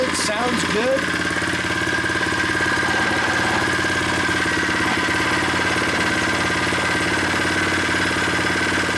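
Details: New unboxed Predator 79cc single-cylinder engine on first start with stock tank and muffler, freshly filled with 0.37 quart oil, no choke, warming up: a fast, steady idle putter with a faint hum on top, no knocking or stumbling; it sounds solid.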